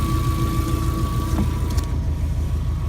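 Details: Subaru EJ20-engined VW Kombi, rear engine, after first-time start: low, even idle rumble with steady beat, no knocks or misses; flat-four idling smoothly and healthily.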